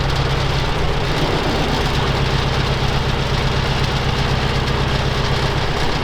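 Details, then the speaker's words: Soviet UAZ 469 with carburetor, first start after sitting about a month and priming: rough, lumpy idle with uneven thuds, running on only two of four cylinders; later overhauled to electronic ignition. "okay so it does fire up but it doesn't sound like we're running on all four"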